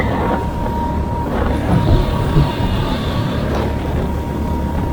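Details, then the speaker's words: 6.5 hp outboard cruising about 4.6-6.8 mph by phone GPS, after fixing stalling with the gas tank air vent; steady even drone with faint constant whine under wind and water noise, no stumbling. "It definitely was the air gap on the gas tank, because it hasn't been stalling at all. I've been able to go just about full speed with this thing."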